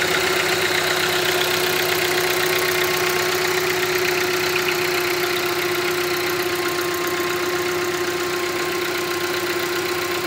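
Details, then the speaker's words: Hyundai Creta 1.6 engine in the morning: smooth, even idle with a constant mid-pitched hum and light steady ticking, no uneven knock. This is the engine's normal characteristic sound, not a defect. "Barulho normal do motor, tá vendo? Funcionamento normal, galera. Não tem problema, esse barulho dá pela manhã."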